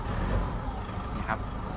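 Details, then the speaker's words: Ford Ranger T6 2.2L diesel, first cold morning start and revving after a remap meant to cure a knocking noise on first start: an even, low rumble with no knock heard. "อาการเคกไม่มีได้ยินเสียงเลยนะครับหลังจากทำการรีแมปนะครับ"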